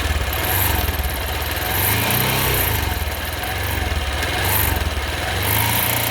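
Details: Honda XRE 190 single-cylinder held at high revs: rough, rising and falling roar with an intermittent noise and some on-off hiss when accelerating hard; the source is unidentified.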